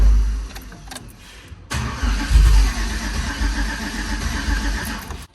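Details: 2005 GMC truck with a boost-ready 5.3L V8, an On3 single turbo kit, a triple-pump fuel system and a new tune flash. It cranks, catches and runs rough for about three seconds under throttle, then dies. It started and ran after another tune file was loaded.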